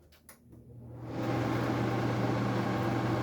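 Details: Refrigeration unit starts up, ramping to a loud, steady hum with a rough rushing whir; power factor about 0.80 before start; the condenser fan motor is very noisy, as these units typically are.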